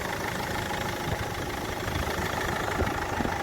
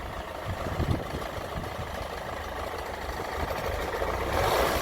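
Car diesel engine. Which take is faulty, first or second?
second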